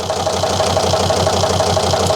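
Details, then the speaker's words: 2003 Volvo XC90 D5 diesel misfiring, running on four cylinders, during injector leak-off test: lumpy idle with a sharp tick about six times a second; cylinder 4 injector returns far more diesel than the others, indicating a faulty injector. "Well, I've got a Misfire. It's not the best starts."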